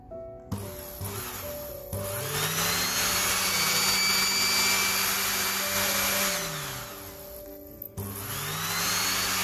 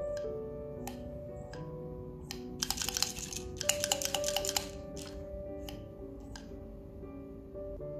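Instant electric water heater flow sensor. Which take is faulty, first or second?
second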